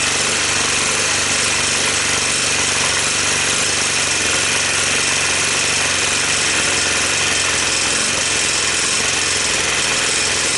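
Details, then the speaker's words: 1986 Honda TRX250, running on starting fluid with portable CDI and carburetor hack, previously tampered with: harsh clattering, metallic chatter beyond valve tick, smoky; shifter not engaging gear, clutch possibly misadjusted; engine judged not worth saving. "it's got a couple of bad sounds to it more than the valves right somebody's already been in there fooling around with it"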